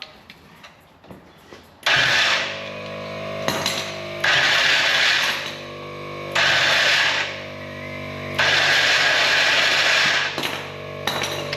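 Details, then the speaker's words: Race car winch on upgraded 24 volt battery hookup, spooling in and out free with no load: four bright even whine bursts, clean starts and stops, more speed than before; healthy, load test still to come. "Good. So that actually sounds pretty promising. Got heaps of zing about it, so that's going to be fun to test out. It actually sounds like it's got a fair bit more go about it, just going in and out free."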